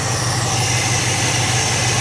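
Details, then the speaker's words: 1959 Dodge Coronet V8 running without a fuel filter: a smooth, steady idle with an even low rumble and no knocks or misfires; it runs perfectly, with a small fuel drip leak. "and she's running right it's running perfect like like there was never an issue"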